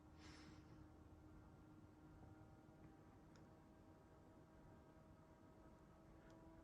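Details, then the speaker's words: Asus ROG Strix GT35 desktop (i7-11700KF, RTX 3080, AI overclocking) under load in a cold winter room: GPU fans ramped up but case fans not yet, a quiet, steady whoosh over a faint hum with no rattles. Normal fan noise. "So you can hear the computer right now. It's not too bad, and you'll notice that some of the fans haven't ramped up yet. The fans on the video card have started, but the case fans haven't."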